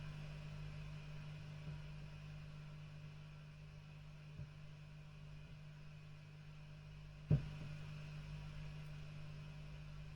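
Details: Fenton Weil Porta 15 tube bass amp with dodgy kit wiring: low steady hum broken by sharp crackle bursts a few seconds apart, traced to the EF86 preamp stage; tube swapped several times, so owner suspects the EF86 tube socket.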